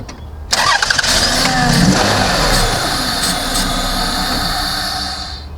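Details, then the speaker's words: Car that cranks but won't run, starting fluid sprayed into the open induction hose: starter cranks, engine catches and runs briefly, then dies; confirms a fuel problem, most likely the fuel pump. "did you see that the engine runs a little bit what does that mean that means it definitely is fuel related and more than likely it is the fuel pump"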